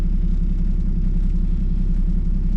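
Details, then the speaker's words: Squarebody truck after tightening a bolt, warmed up; deep, steady rumble at warm idle with an even pulse and no lope or miss, smoother than before. "I want to pull off of this church and see how it does now that's had a chance to warm up, how it idles, how rough it is. Oh dude, that's smoother than it was before."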